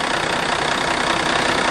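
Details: Ford F800 dump truck after the fuel shutoff solenoid was rewired to the starter solenoid to cure a clicking no-start: steady, dense, uniform idle roar with no knocks or misses; running smoothly.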